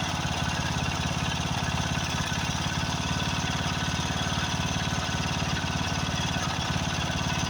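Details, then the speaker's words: Craftsman riding mower with a 13.5 hp Briggs & Stratton OHV engine, just after a carburetor replacement: a loud single-cylinder putter at about 3–4 beats per second, uneven and lumpy; rough running, owner suspects blown head gasket or fuel mixture needing adjustment. "uh the first thing got a blown head gasket but it could just be where I have to adjust the fuel uh to a mixture"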